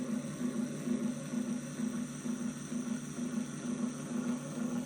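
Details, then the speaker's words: Pottery wheel trimming a noodle bowl with a very sharp tool held loosely and far out, no bracing hand, wheel sped up. A steady buzzing chatter pulses about twice a second as the blade bounces, leaving chatter marks. "and it start to create the cheddar mark. See the cheddar mark? Because my tool is very sharp. So it's easy to get cheddar mark if you don't hold the tool firmly and uh closer to the head."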